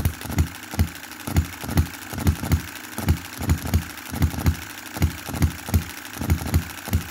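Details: 2022 Enjomor Chinese hit-and-miss engine after fixes (spare piston ring, corrected valve timing, leaded governor weights, added spring for quicker latching): evenly spaced firing pops with soft coasting between, steady regular beat; normal running, clean latching.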